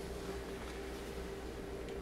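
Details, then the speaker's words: G.E. Model 250 vibrator-powered radio on a 2-volt bench supply with crowbar protection: quiet steady buzz with slight chatter as the vibrator runs, but B+ barely rises even though the B+ bus has no short. "but the needle is barely moving and we know there's no short circuits because we just checked the b plus bus yeah it's barely barely moving"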